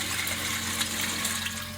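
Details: Kenmore series 500 washer after drive hub assembly replacement (worn hub left clothes wet, spin noise): steady hiss and splash of water filling the tub, no clunks or hum; normal water fill.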